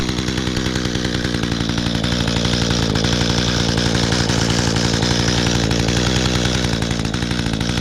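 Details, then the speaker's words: Small two-stroke trimmer, primed and started easily, buzzing at a steady high speed, firing evenly without sputter or surging; it stalled a little in tall grass, otherwise normal running. "Oh, perfect. So, not too bad. Yeah, the grass is little tall, so it kind of did um stall a little bit, but hey, not bad."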